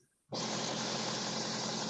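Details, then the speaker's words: 2019 Ford Powerstroke diesel, 61,000 miles, short-tripped, cold start: loud steady rushing hiss from the top of the engine, exhaust felt escaping from the centre; suspected exhaust manifold leak, unconfirmed. "oh yeah you can hear it doesn't sound nice [Music] right out the top you can hear it oh wow"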